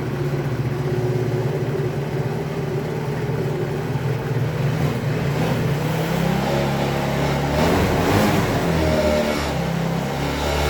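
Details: Chinese Hoabon 50cc scooter after kick-starter repair and consumables replacement, started on the battery: small two-stroke buzzes evenly, revs up and drops back cleanly with no misses or knocks; running healthy.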